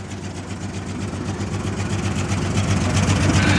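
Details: 1996 Jeep Cherokee, 131k miles, long parked, first run after fuel reached the engine: steady low idle with an even beat, about four pulses a second, no stumbles or knocks. Owner suspects two injectors not working; exhaust leaks, no fuel leaks.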